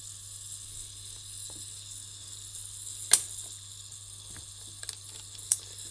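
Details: Saeco Incanto espresso machine, recently refurbished, leaking heavily underneath: low steady pump hum under a constant high hiss with a few sharp clicks, water escaping past a failed internal seal.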